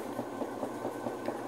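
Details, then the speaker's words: Maytag Performa washer, reported noisy when washing, tested with cushions and mats as load: a soft rhythmic swish about five times a second over a low hum; the spin runs smoothly. "Pero por eso el movimiento de la canasta verdad pero pues lo está haciendo bien el exprimido ahí no hay ningún problema"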